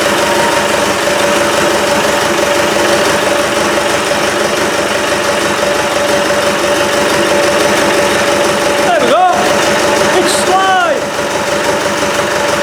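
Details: Land Rover 200Tdi diesel on first test start, alternator belt not yet fitted, a loose fuel pipe found: steady, even diesel clatter at idle at a constant pace with no misses or stumbles; runs cleanly.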